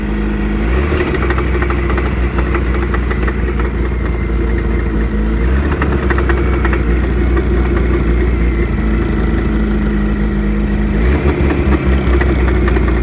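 Loud, steady low engine drone with a regular knocking pulse that rises and falls with throttle: knock from inside the engine, cause unknown.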